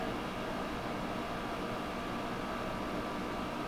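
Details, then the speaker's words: GE 5000 BTU window air conditioner running, heard from inside; steady even hum and airy rush, no knocks, rattles or squeals; blower-wheel indoor fan quiet, outdoor fan almost inaudible; filter dirty, not yet cleaned; normal running. "It makes it really quiet, and the outdoor fan is extremely quiet, almost inaudible from the inside. You can slightly hear it run, but it's a really soft outdoor fan,"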